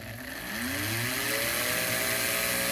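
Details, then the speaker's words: Prewar 1940/41 American Flyer O gauge K-5 Pacific locomotive motor after commutator cleaning and lubrication: smooth whine climbing in pitch with no rattle; motor stable with good spacing washers. "revs up really nicely. The motor is not moving around much. Got good spacing washers in it."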